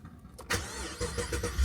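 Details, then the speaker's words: Pontiac G8 that hadn't moved in a while, first start after battery replacement: brief crank, catches promptly and settles into a smooth steady idle; sounds just like it used to, normal start, ABS and stability lights on. "It sounds just like it used to."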